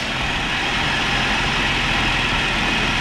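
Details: Long-sitting manual mini truck at 82,660 miles, in neutral, first drive after revival: small engine idles steady and even, no misses or knocks, a hiss over the top; normal idle, no oil leaks.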